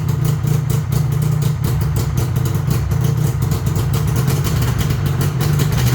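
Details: 1999 Yamaha VMAX 500 two-stroke that sat 19 years since 2006, compression about 120 psi dry per cylinder, started on choke; a fast, crackly beat holds steady and even at a high idle with no sputtering or dying.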